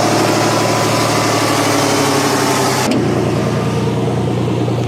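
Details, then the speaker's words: 1989 Chevy S10 Blazer 4x4, 4.3 V6 automatic, first start after sitting since metal found in oil and oil pressure dropped about 5 psi; rough uneven idle, steady drone, faint ticking underneath; engine to be pulled for 5.3 LS swap. "It's been sitting since I found the metal in the oil, and the oil pressure dropped about 5 psi."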